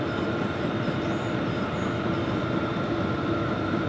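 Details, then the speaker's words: New Vevor diesel heater turned down to setting 1 of 6 via the Air Heater CC app: fuel pump ticks less and blower blows less; even steady blower rush with a faint high whine, no rattles or surges; running normally on low. "I have it turned down all the way to 1. And when you turn it down, the fuel pump will start to tick a little bit less, and the blower will start to blow a little bit less. Things will quiet down."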